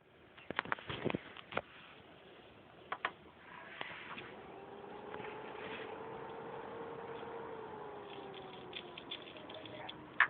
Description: When i turn my ps3 slim on it makes a cracking noise and it doesnt let me play my ps3.